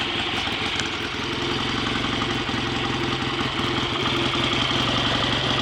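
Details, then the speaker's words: Freshly rebuilt BSA A65 Lightning twin with a replacement crank, restarted, ignition timing not yet checked, strong oil return: even, lumpy tick-over, no knocks or rattles, better than before the rebuild; normal idle. "sounds a bit better than it did last time I heard it ringing anyway"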